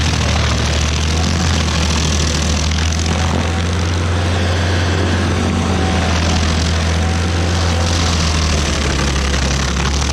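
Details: Stump grinder with freshly rebuilt engine (new rings, cleaned piston), first job grinding a willow stump: steady strong drone holding speed while cutting, no misses or knocks; oil on heat shield later burnt off; healthy engine under load.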